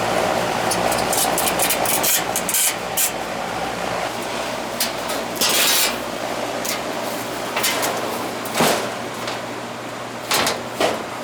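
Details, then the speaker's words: Carrier AC unit, previously not cooling, running after compressor common wires were tightened: steady airy whoosh from the condenser fan, unit running evenly with a few brief rustles, now cooling normally. "see if it starts up look it's running getting cold hmm"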